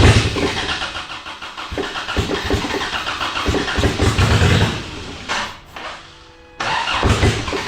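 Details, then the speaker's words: Endurance race car during final race prep: engine catches and runs rough, with ragged, uneven firing and a dip; the team is confident it is still a fueling issue and plans to clear the injectors. "well that ran pretty semi I'm confident it's still a fueling issue"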